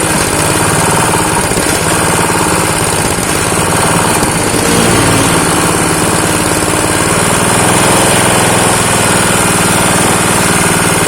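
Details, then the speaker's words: Honda GX160 pump engine revived after years idle, choke closed and throttle idle screw opened slightly: steady, even single-cylinder idle for the whole run without stumbling or dying. Normal idle after adjustment. "Nah, ini sudah nggak mati lagi nih."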